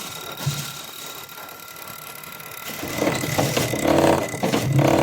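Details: Injector from a Hyundai Grand Starex (hard starting, low power, white smoke), removed and run on a tester: crisp, even buzzing pulses about four a second, louder as it runs, no stutter or dribble; normal injector spray pattern.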